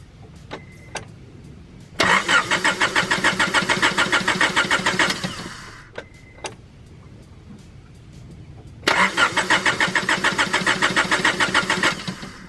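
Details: Honda Prelude BB6 race project, started with a small battery jump pack and enough fuel: two bursts of steady starter cranking, about three to four turns a second, and the engine never catches. Crank-no-start, cause unknown.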